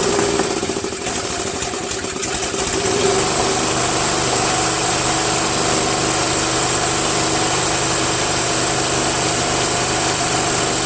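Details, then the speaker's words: Murray Select 13.5 40-inch riding mower, Briggs & Stratton flathead single after valve grinding and stripped head bolt repair: catches after a rough start, then settles into a steady, even, fast putter with no knocks. "sounds great right"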